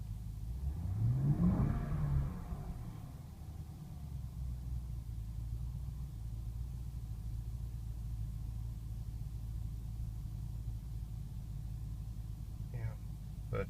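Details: 2005 BMW 645Ci E63 with recurring rough idle and surging on cold starts, recorded on a warm afternoon: throttle blip rises and falls, then uneven lumpy idle with shaking; cause not found, no vacuum leaks on dealer smoke test.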